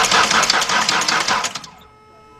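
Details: 2003 Ford Explorer 4.0 that died after fueling, cranks but won't start; fuel pressure present, no spark flash. Starter spins engine briskly without firing; timing chain failure found.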